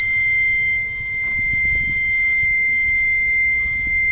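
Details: Microtek Super Power 912 12V inverter on mains: steady unbroken high-pitched buzz; about 6 V keeps the change-over relay half-energised.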